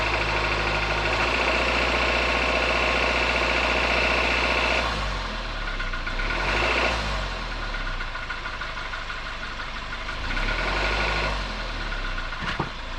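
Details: 2021 Suzuki Jimny Sierra JB74 after 15,000 km, engine warm: fast regular light rattle over engine note when accelerating from low rpm, easing as revs settle; rattle persists when warm, cause later found and repaired by dealer.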